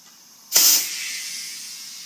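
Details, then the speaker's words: Tire being reinflated after a valve stem replacement, with bottom bead seated using a block under the hub: sharp air rush settling into a steady, even hiss, and the tire creaks as it moves. Bead seated, no leak. "You can hear the change in the airflow. It doesn't sound like anything's leaking. You can hear the tire. Hear the creaking? The tire is actually moving. There's air pressure inside here now."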